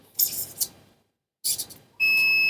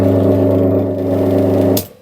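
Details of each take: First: Three-phase motor with six unmarked leads, probing the leads with a multimeter to find winding pairs (U1/U2 and so on): a steady high continuity beep sounds once the probes touch, so these two leads form one motor winding. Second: Three-phase motor with six unmarked leads, first trial connection with the remaining leads tied in star and the breaker switched on: heavy, loud, unsteady hum that stops sharply when the power is cut; this first connection set is wrong.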